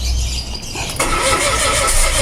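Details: Mitsubishi Mirage G4: starter turns the engine over with a brief squeal, but it never catches and runs on its own; crank no start, cause unknown.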